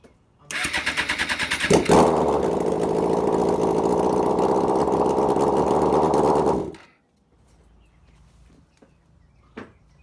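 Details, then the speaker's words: 2005 Suzuki GSX-R 750 after a transmission repair for a 6th-gear problem. Short crank, then the engine catches at once and holds a smooth, even idle before shutting off; sounds healthy. "yeah she sounds good though"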